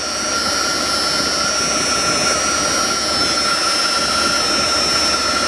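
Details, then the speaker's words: 2000 Dodge Ram Van B1500 with code P0505 idle control system malfunction, engine cover off at idle: loud steady hiss with thin high whistle, air leak heard; a split vacuum hose drawing air. "now I definitely hear an air leak somewhere so let's take this uh air cleaner off and see what we can uh find here"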